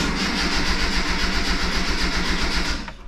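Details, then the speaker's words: 1986 Mazda B2000 2.0 after swap to an aftermarket Weber carburetor with EGR delete, idle screw raised and accelerator pump squirts given: starter cranks at an even chug for about three seconds, engine never catches; no-start, fuel supply unconfirmed. "I assume we're still getting fuel out of the fuel pump I don't know why we wouldn't be [Music] H sounds terrible"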